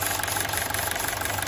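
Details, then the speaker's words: 2012 Honda City with factory CNG after gas ECU replacement and injector cleaning: engine idles evenly with steady smooth beat, no misfire or stumble; normal idle, engine now stable. "ตอนนี้เครื่องรถก็สามารถใช้งานได้ละเครื่องนิ่งแล้วฮะ"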